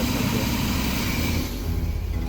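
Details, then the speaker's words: 35-year-old Chevy V8 RV after engine-bay cleanup, vacuum-hose sorting and slight timing adjustment: steady low V8 burble at about 800-820 rpm, 19 inHg vacuum, even with no misses or ticking; idle still to be adjusted; normal idle. "okay 19 inches of uh mercury there not too shabby uh running about 800 rpm 820 rpm maybe 8 10."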